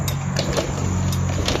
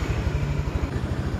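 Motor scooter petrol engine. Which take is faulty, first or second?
first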